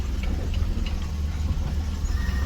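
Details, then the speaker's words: 1990 Dodge Grand Caravan LE restarted after sitting: steady low even idle rumble with faint light ticking and no knocks or misses; engine idles normally, as before. "well it sounds good just as I left it anyway"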